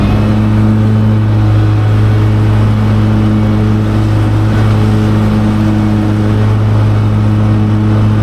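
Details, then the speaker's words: Mower cutting heavy grass with the deck set at 4¼: a steady engine drone that sags and labors as the grass loads the deck; engine bogging under load. "You can hear it bogging down Hang on."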